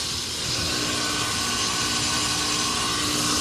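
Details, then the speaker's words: Dying 1.5-ton Carrier ductless AC unit running: steady rough hiss with droning hum, no clean fan note, line neither hot nor cold, little airflow; owner wonders if low on refrigerant, cause unclear. "I showed these in another video, but this one honestly is not sounding too good. Listen to that. That's not hot or cold. Yeah, this does not sound too good."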